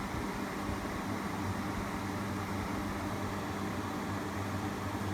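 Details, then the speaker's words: Frigidaire 8000 BTU R22 window air conditioner from about 2008–09, known as very loud, running on low fan only with the compressor off. Reads about 67 dB (C-scale, slow response) from roughly three feet. Soft, steady whoosh over a low, even hum with no rattles; normal. "you can see this is about 67 db i'm just fan i'm probably about three feet away right now"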